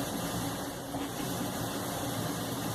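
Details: Brastemp dryer, owner had complained of noise, 30-minute test: low even hum with faint steady whir, no scraping or thumping from drum; runs smooth and quiet.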